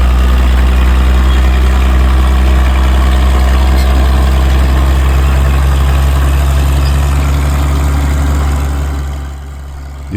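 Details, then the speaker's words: Caterpillar dozer pushing a load: deep, steady, even diesel roar that holds firm under load without misses or knocks, smoking a bit. Healthy engine. "girl does uh smoke a bit there but she sounds good and can hold her own in it big old push"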